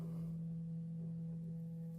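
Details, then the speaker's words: iPhone 13 quiet earpiece clogged with dirt, playing a 165 Hz cleaning tone with isopropyl alcohol across the grille to push material out for Q-tip cleaning: a steady, thin, quiet low hum. "that's basically all I'm doing is using that tone to push the material that's sitting inside the earpiece out."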